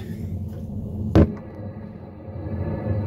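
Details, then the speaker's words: Homemade wind turbine on a skoolie bus driving its generator through gears and two chains, in about 6–8 mph wind, phone lying against the structure: low continuous rumble swelling with speed, carried through the bus, plus one sharp knock. "you can hear that all through the bus I think you would probably get used to it after a little while and it wouldn't be that bad"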